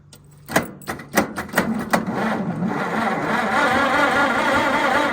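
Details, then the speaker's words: White 2-44 tractor left sitting, oil thin, first crank after fixing a loose battery connection: several slow, labored cranking strokes, then it catches and runs slightly unevenly; owner suspects one unhappy cylinder. "Kind of cranked hard there for a minute, but it is cranking. It sounds like it might have an unhappy hole, but yeah, so we're cranking."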